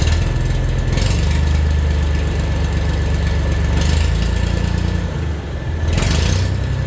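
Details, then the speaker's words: Tractor after new muffler welded on replacing rusted-off one (previously straight pipes): deep steady single-cylinder thump, even low rumble; running normally, much quieter though exhaust still fairly loud. "say that's a hell of an improvement. I think it's still kind of loud, but it's a tractor, right? You're not gonna get like super quiet with a tractor."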